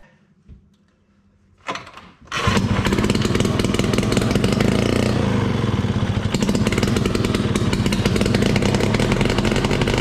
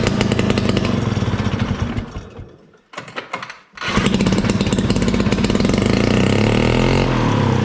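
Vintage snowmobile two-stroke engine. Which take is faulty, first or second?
second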